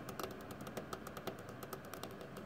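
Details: Thermaltake Toughpower iRGB Plus 1200W 80 Plus Platinum PC power supply making irregular sharp crackling and knocking ticks, a few per second, with no steady hum; failing internally, PC should be switched off and disconnected.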